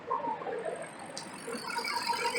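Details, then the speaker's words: BMW E38 with the M62TU V8, after replacing the VANOS solenoid seals, gaskets and oil and retightening a loose MAF connection: a light, fast, uneven diesel-like ticking at the top end over a quiet idle. The owner hopes the VANOS recondition with time; the cause is unconfirmed. "Still sounds like a diesel up here, but I anticipated that. You know, we'll give that e38 time to recondition my my inner Vanos, and maybe that'll eventually go away."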